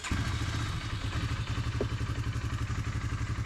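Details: Revived old Polaris Ranger 500 UTV after its first start, crank position sensor code cleared: steady, even chuffing beat at a settled idle with slight valve clatter; engine running normally, left idling to break in.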